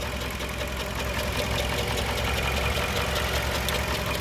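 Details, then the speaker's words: 2020 Toyota Camry SE, 30,000 miles: even idle with a light, quick ticking from the direct-injection fuel pump in the engine bay, described as nothing to be alarmed about; normal direct-injection ticking at idle. "that sound that that extra sound that you guys hear the ticking that's there's nothing to be alarmed of it's just the uh the direct injected fuel pump and everything right here"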